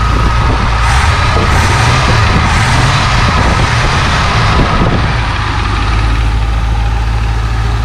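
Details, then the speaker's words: 1966 Ford Thunderbird V8 barn find, sat about 32 years, on day three of a Route 66 trip after about 125 miles: after cleaning a plug it fires on all eight cylinders, still slightly rough with a faint lifter tick; normal running. "sounds better i mean it's still a little rough and i hear a lifter take just a touch we didn't check the oil after we drove 125 miles well with all eight cylinders fired and she's running good again"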